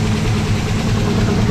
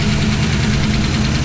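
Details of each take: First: V8 with Aces EFI, after the ECU cam setting was changed from mild cam back to stock, which fixed the start-and-stall problem. Deep, steady idle holds an even beat without surging or dying. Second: V8 with Aces EFI, idling after the ECU cam setting was returned to stock. Faint, quick, light valvetrain ticking rides over a steady idle; the owner is unsure of the source.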